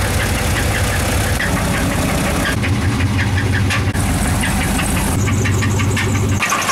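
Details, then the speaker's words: Engine deliberately run at idle without oil as an experiment, about 5 minutes in and getting hot: loud, rough, laboring roar with hard knocking clatter, other engines nearby; failing from oil starvation. "right now we are 5 minutes into the experiments they all running still cont making a bit of noises it's getting hot in the"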